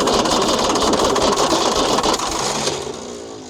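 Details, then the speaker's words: Ford D Series diesel truck, sat 28 years, first start attempt with oil pressure unchecked: fast, uneven, labored whirring churn as the starter drags the engine over, then winds down unstarted. The starter sounds rough and smoke can be smelled. "Starter sounds a bit rough on her. You can smell the smoke out of it."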